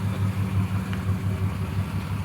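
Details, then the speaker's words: 1973 Plymouth Duster slant six, a very original survivor car, during a pre-purchase inspection, idling low, smooth and even with no knocks, ticks or misses; it runs quiet. "so it seems to run quiet"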